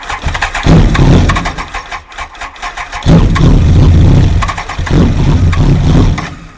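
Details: Kawasaki ZX-12R, about 2000 miles, first start after years of sitting, around 3°C: rough bursts of cranking with short pauses after the battery was reconnected, engine catching and stumbling on a few fires; weak battery suspected.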